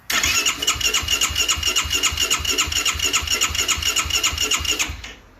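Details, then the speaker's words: 2009 Yamaha YFZ450R, fuel-injected with electric fuel pump: steady starter cranking at about four beats a second for five seconds, never firing, with an occasional backfire. Injector waveform looks good at 5.1 ms, so the owner suspects a weak fuel pump. Crank, no start. "Or is it a weak fuel pump? I think it's more of a weak fuel pump issue at this moment, but more to come on that."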